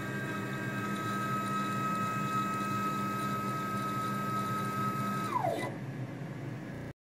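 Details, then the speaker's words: CNC machine X-axis stepper motor coming to a stop, heard for comparison with the Z-axis motor that grinds on acceleration and deceleration. Steady whine falls smoothly in pitch to a clean stop with no grinding, normal deceleration. "so none of the other axes sound like that here's the x-axis coming to a stop"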